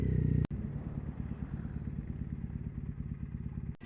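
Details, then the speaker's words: Triumph Bonneville SE 865 with D&D silencers, air injection system removed, in 5th (top) gear just over tickover at about 20 mph: low, even thudding exhaust beat under load, no stutter, pops or misfires; clean, tractable low-rpm pull. "So clean, and it's so tractable at low, absolutely no revs at all. It'll pull 20 miles an hour cleanly in top gear."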